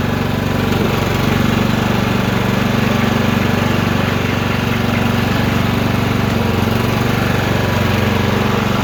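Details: Troy-Bilt mower after replacing a bad drive belt (754-0468/754-0467): steady single-cylinder putter, even, no belt slipping squeal or knocking.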